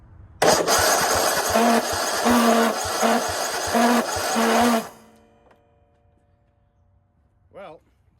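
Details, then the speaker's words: Cub Cadet RZT50 zero-turn mower found parked and said to need a fuel pump, battery freshly charged, fuel pump being tested: about four seconds of uneven chugging cranking without catching; the pump works but the engine sounds unhealthy, cause not pinned down. "pump works but does not sound the healthiest no the motor not the pump obviously"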